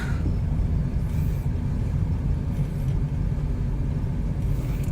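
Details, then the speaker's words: 2001–04 Chevy Optra test drive after CV axle replacement, turning right: only a low, steady road rumble with no clunks or clicks. Normal driving while turning. "Okay, I'll turn right. Oh wow. I don't hear any clunking sounds anymore."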